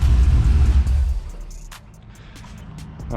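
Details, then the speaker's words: 1999-07 Chevy Silverado LS V8 race truck, start after valve cover gasket replacement and new ground: catches quickly with deep steady rumble, settles to even idle under music; normal start and idle. "so I'm gonna jump in fire it up make sure she fires up with that new ground"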